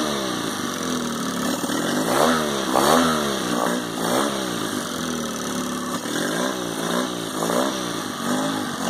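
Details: 2002 Mercury 15hp four-stroke outboard, first start of the year, run about five minutes to warm up: light, rising-and-falling hum with no knocking or misfire; normal idle.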